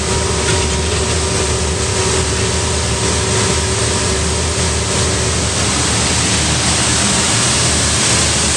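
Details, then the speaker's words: Diesel-fired pressure washer running after repair, with a new thermostat replacing one whose capillary tube snapped and a new heavy flex fitted: steady pump drone, constant burner roar and fan hiss, no knocks or surging. Normal running with burner firing, slightly smoky. "Okay, it's running. Can I get all the shot at once? Right, let's turn the thermostat to something you might hear the fans kicking."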